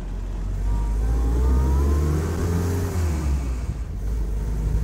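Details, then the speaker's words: A 77-year-old Willys jeep on its first drive, carb not fully set up, pulls and eases off smoothly over road rumble; no clunk from the diffs, prop shafts or transfer case on and off power, so the driveline is healthy. "can't really hear the transmission can't hear the differentials or transmission there's no clunking Eva as to sort have you come on and off the power"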